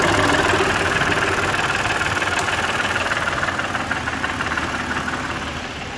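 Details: BMW E90 325i, N52 engine, at idle: fast, fairly even metallic rattle about four per second, seemingly from inside the head, with engine light and codes 2A87/P0015 exhaust VANOS fault.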